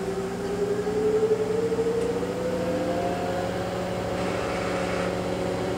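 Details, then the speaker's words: Kenmore (LG) 796.41392.511 front-load washer, 5 years old, running great, in a test cycle: the soft inverter-motor whine climbs, then holds steady and quiet, spinning at about 1150 RPM; barely audible from the next room; normal high-speed spin. "so now it's spinning at about 12200 RPM or 1150 to be exact the inverter motor is super quiet on this thing I can barely hear it from the next room"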